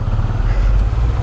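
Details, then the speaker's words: Honda CBR150 (new) that had hard starting and smoke: after the mechanic's repair it idles with a deep, steady, even thrum, no misses or knocking, no longer smoking; cause traced to Dex getting in. "akhirnya udah jadi guys ya Dari sekian jam menunggu aku di dalam arirnya udah jadi juga guys ternyata Ini juga udah gak ngebul"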